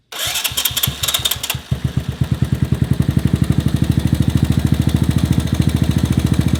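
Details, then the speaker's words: 1984 ATC Big Red after valve adjustment, cam chain tension, timing set and fresh spark plug: single settles from start into steady even idle, much quieter, no loud top-end rattle; normal idle. "it's much quieter running really good"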